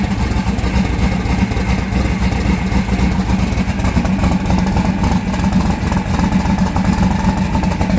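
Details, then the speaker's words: Austin's car at idle with two cylinders not firing, found by infrared temperature check: lumpy loping idle with missing pulses yet runs fairly well; two-cylinder misfire. "For two cylinders not firing, that thing runs pretty good."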